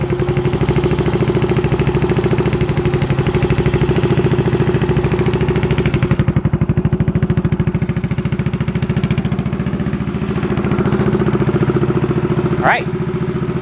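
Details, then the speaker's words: Yamaha Zuma with a 158cc big bore kit, first test start after a rebuild of piston rings and timing chain, on jump-start mode with a low battery: steady single-cylinder idle, even firing with no knocks or misses, after an initially very low idle. "there you go it sounds like it's working success yay"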